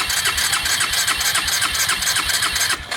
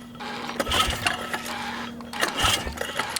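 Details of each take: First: Suzuki Ozark 250 quad stored seven years under a deck, no-start with the CDI suspected, cranking once freed from seizure: strong, even starter whir with steady compression pulses, about four per second; cranks normally. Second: Suzuki Ozark 250 quad stored seven years under a deck, new spark plug: two short starter bursts, turns over but never fires; no spark, CDI suspected.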